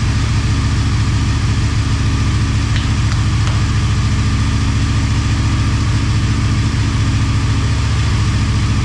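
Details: Motorcycle idling on second start after full teardown and rebuild, coolant and oil topped up: smooth, even low beat, no knocks, ticks or misses throughout; normal healthy idle.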